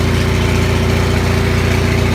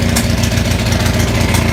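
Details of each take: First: Onan 6500 (6.5 kW) gas commercial generator, no muffler, after cleaning a severely fouled spark plug; steady, even drone with a low pulse near three per second and no stumbles; smoother, voltage still jumps a bit. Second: Onan 6500 (6.5 kW) gas commercial generator, missing its muffler, chugs with irregular popping, backfire and stumbles, a bad misfire. Spark was always present; pulling the plugs showed a severely fouled spark plug as the cause.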